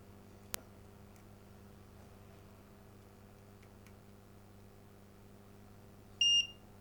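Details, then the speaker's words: Philips 138 Mistral Four valve radio, after power switch repair: single short high continuity-tester beep through the reconnected switch; circuit conducts, switch now fine. "so that's all being reconnected so we'll buzz that through and see if in fact that fixes the power problem so we'll do that"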